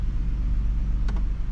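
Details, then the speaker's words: 2013 Ford F-150 after fixing heat shield rattle with a clamp: steady deep idle, no metallic rattle, only faint clicks; rattle began after hitting potholes, now gone in park, neutral and drive. "okay I'm back in the truck let's do a test no rattle that had to be it"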